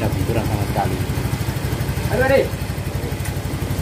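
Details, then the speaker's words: Yamaha Mio GT125 single-cylinder scooter just after rebuild with bored cylinder, new liner and Vario 125 FI piston, first start: steady low putter with even firing pulses, no knock or tapping; runs smooth and healthy. "cukup halus teman-teman ya cukup halus tidak"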